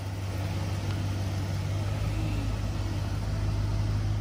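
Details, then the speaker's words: Pickup just fitted with 4.56 gears, heard from outside driving slowly: steady low engine drone with no whine or howl from the rear differential; normal. "Well, boys and girls, I don't hear anything."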